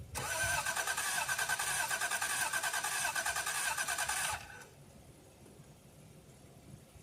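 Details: 1989 Toyota Cressida that sat for years, on a freshly charged battery: starter spins evenly about four seconds without a single catch, then quits; gauge near empty, owner suspects no fuel. Crank, no start.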